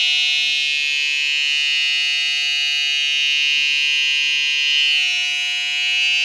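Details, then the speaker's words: Kemei 3023 hair trimmer fitted with an aftermarket blade makes a loud, harsh, even buzz, far too noisy; something seems slightly loose, probably the blade seated wrong. "Problema, singura problemă de care mă temeam e ce s-a întâmplat. Zgomotul e foarte puternic."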